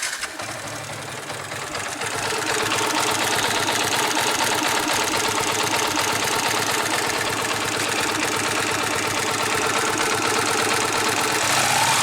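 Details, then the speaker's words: Yamaha New Vixion engine running at steady speed: a fast, even ticking rides on top, apparently from the top end; cause not pinned down. "Ya, bunyi menggelitik. Ada yang pernah mengalami? Please comment."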